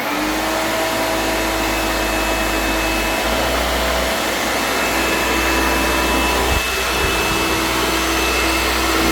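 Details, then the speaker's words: Vintage Hoover vacuum cleaner (Dial-A-Matic 1124A or Junior 119), first switch-on: steady loud roar whose low note sags and shifts, so the motor is labouring and stalling. "I can hear it stalling. Not very good."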